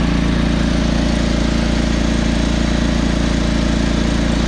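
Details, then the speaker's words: John Deere 445 riding mower, warmed up after a few minutes' running: small engine runs smooth and even with a quick steady firing beat, no misses or knocks; little black smoke at throttle, smoke cleared, owner believes mostly valves but worries about engine wear. "actually seems to run relatively well a little bit of black smoke there throttle up so evidently it was mostly just valves"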